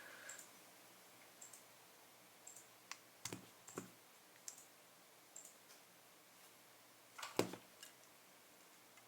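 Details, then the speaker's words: V9 magnetic puzzle cube, testing four edge pieces in one direction: scattered crisp clicks as magnets snap, no buzz or rattle, so those magnets are fine; rattle later traced to a loose magnet in another corner piece. "也是没有任何声音的，说明这4个棱块在这个方向的磁铁都是没有问题的。"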